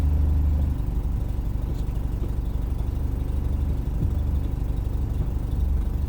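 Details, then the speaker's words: 1982 BMW 302i (5-speed manual) idling with a leaky exhaust temporarily patched back together: steady low idle with rough, uneven puffing and a louder-than-normal exhaust note; exhaust leak, to be properly repaired at a shop. "Sounds like a jalopy with that leaky exhaust."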